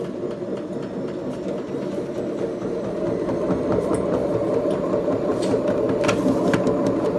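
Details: Beko washing machine, 7 years 8 months old, drum turning; steady rumbling drone with gritty rolling roar under the motor from worn drum bearings; machine to be replaced.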